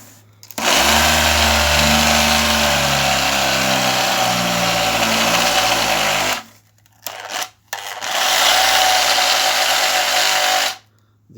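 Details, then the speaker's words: Cleaned and patch-repaired electric sander: hum climbs slowly and unevenly after switch-on, struggling to pick up revs; fault still present, sander no longer fit for work and needs replacing. "you hear that uh kind of a struggle to pick up RS that is what I talk in the beginning so it's still there but it's fine guys"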